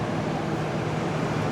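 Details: 2021 Carrier gas furnace at its annual startup after cleaning and a filter change, with the burner cut off; the blower fan runs alone with a smooth, steady rush of air and a low hum; normal blower operation.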